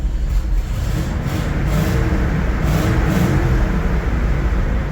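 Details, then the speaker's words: 1973 GMC 6500 grain truck: deep, lumpy V8 rumble that swells and fades unevenly as it revs, with no steady beat. The engine runs rough. "Yeah, I don't know what we're gonna do with it, but yeah, she runs pretty rough, but"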